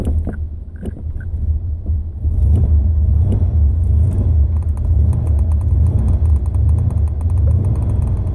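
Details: Low uneven rumble picks up after a couple of faint catches, then labours without settling; stalled before leaving the parking spot, hard start and stall, cause unclear.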